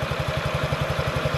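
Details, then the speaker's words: Honda Ruckus NPS50 2017 50cc four-stroke scooter after idle screw adjustment, raised slightly to avoid stalling: even putt-putt, tachometer reads about 1380–1420 RPM, steady with no stumbling; healthy normal idle. "I'm going to turn it up like 10 RPM there we go that's 1380 the 14 20."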